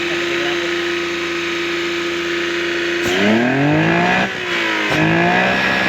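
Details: Vehicle with hard starting and lack of power, checked by a third mechanic with timing suspected and MAP sensor mentioned: steady idle, then three quick clean revs that climb and drop back smoothly; sounds healthy.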